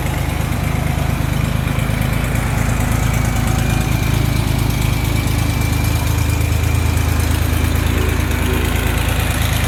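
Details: 1979 Porsche 911SC 3.0 Targa with 156k miles and matching numbers, at idle: a deep, even burble with a steady beat and no misses or knocks; the engine runs really smooth.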